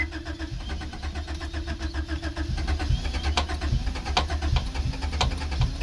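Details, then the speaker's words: 1987 Acura Integra that fires after some cranking but runs poorly: lumpy, stumbling idle at two to three pulses a second, a misfire; cylinder 1 fine, cylinder 2 has the problem, no change; owner doubts spark, borescope found nothing. "all right the demonstration cylinder one is fine you can hear it stumble cylinder 2 is the one that has the problem no change"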